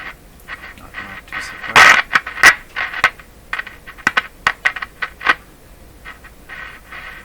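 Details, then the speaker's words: Canadian Westinghouse Model 684 tube radio with no output, tubes tested fine, powered at a little over 100 volts: irregular pops and crackles with quiet gaps from the speaker; DC is suspected to be leaking through a control. "ah sounds like there might be some DC leaking through this control"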